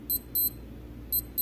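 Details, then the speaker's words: Casio W221H watch alarm test: two pairs of sharp high beeps with a short pause, repeating about once a second; alarm sounder working normally. "So I press and hold, I believe it's the bottom right, I'll find out in a moment, and then you hear the beep."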